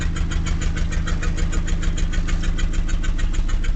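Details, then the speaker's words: 1989 Mazda B2200 four-cylinder, 5-speed manual, smokes a lot, check engine light on, running: sharp regular puffing tick about three a second; exhaust leak through a hole. "as you can hear that whole Bobby there's a hole right there"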